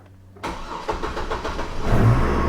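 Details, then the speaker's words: Chevy Colorado/GMC Canyon crew cab after fuel pump replacement with AC Delco MU1385, system primed, no leaks: brief crank then fires right up and settles into steady even idle with no stumble; normal start. "Yep, there she goes. Fires right up."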